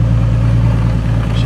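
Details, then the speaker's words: 2008 Ford Mustang with drive-by-wire throttle, P2 code, stuck in idle-only mode and previously not accepting throttle; after the fault was found by visual inspection, the engine note holds strong and even with no stumble; normal throttle response. "beast so that's a little better so there we go we're good to go"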